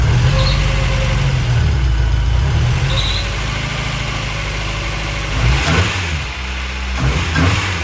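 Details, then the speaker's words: VW Golf 1 with a 2 L engine after the MAP setting was changed to four bar, throttle held by hand, rev gauge not working: a low, steady idle that holds without hunting, a brief blip, then an even settle; it runs healthy. "it's keeping a stable angle. >> Yeah, I'm just keeping my hand there. So, but I'm keeping a stable. It's not jumping around."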